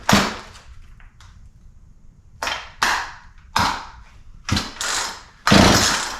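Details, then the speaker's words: Poulan P3314 33cc chainsaw, 14in bar, bought as non-runner: pulled with switch on, throttle and choke open, carb cleaner sprayed in; quick raspy pull-cord bursts, never pops or catches; no-start, spark check next. "start so nothing so far all right well it should have popped off by now so we're going to have to do a little more checking"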